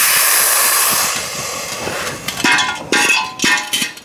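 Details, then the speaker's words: Homemade vacuum tank used to de-water a car hoist ram, tipped upside down and pressurized to expel the almost pure water: sharp air hiss then irregular spurts and gurgles as liquid is forced out; blowing out normally. "i'll just tip my bottle upside down here and then just uh pressurize it to blow this back out oh there it goes"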